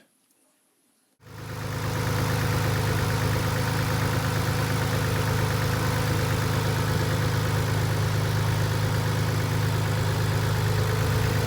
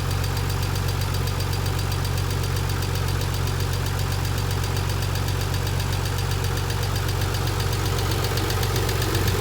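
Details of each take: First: 1990 Nissan 300ZX twin turbo with used JDM engine, after the fix for months of lifter ticking (dented oil pan found after noisy lifters suspected): petrol engine idles steadily with a smooth low hum, no tick. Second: 1990 Nissan 300ZX twin turbo with used JDM replacement engine at idle: fast, steady valvetrain tick from hydraulic lifters starved of oil pressure; one removed lifter was found broken.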